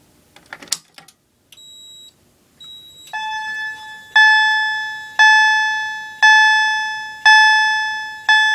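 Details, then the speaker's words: FCI 7100 2D addressable fire alarm panel set to 120-beat march time, sounding a chime with a strobe: pulses come about once a second, nearer 60 per minute; march-time pattern at the wrong rate. "this panel says it's 120 beats but it's really not you'll see why when I activate"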